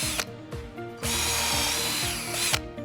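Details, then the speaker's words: Forte 20-volt lithium cordless drill/driver with adjustable torque clutch, drilling with a GRIP titanium bit: motor whirs, then rapid ratcheting clicks as it bogs; the clutch is slipping, so set a higher clutch number. "you hear that clicking sound, it means that the clutch is kicking in, so you can just turn to a higher number if you'd like."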